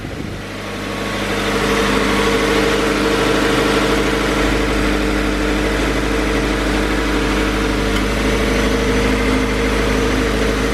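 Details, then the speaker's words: 2016 Subaru BRZ, 65k miles, just after a spark plug change: the engine starts and settles into a smooth, even idle at normal speed with no misses or ticking, and the fans are running because the AC is on. Normal idle. "sounds good there goes idling where it's supposed to be fans kicked on because i have the ac on sounds smooth sounds good"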